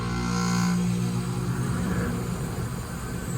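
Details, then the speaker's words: Rheem gas pack about 10–11 years old with an R-410A leak, power restored: low steady hum with a faint whirring on top; outdoor fan and compressor running. "Sounds like we have outdoor fan and compressor."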